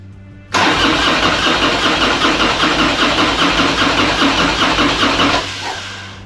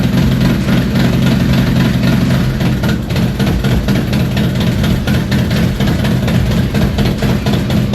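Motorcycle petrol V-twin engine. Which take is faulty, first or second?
first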